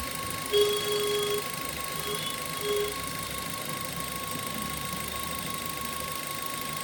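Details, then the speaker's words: Suzuki Ertiga VXI petrol, engine running: steady thin whine at one pitch, owner could not locate it, tensioner bearing suspected, unresolved after authorised service visits; water pump bearing noise. "So இதுதாங்க அந்த noise இது வந்து எங்க இருந்து வருதுன்னு என்னால diagnose பண்ண முடியல"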